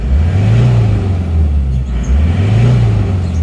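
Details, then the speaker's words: Isuzu Panther diesel bought from a showroom, which had a valve-like 'nrek' noise above 2000 rpm that a valve adjustment didn't cure; after the workshop repair it revs from the cabin with a deep, smooth drone, no rattle and no exhaust smoke. Normal rev. "jadi Sudah suara bersih ya"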